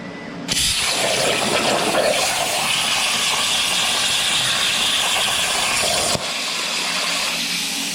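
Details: Everlast CNC plasma table cutting plate into bumper brackets: a sudden loud hiss with sharp crackle holds steady for several seconds, then cuts off; normal plasma cutting.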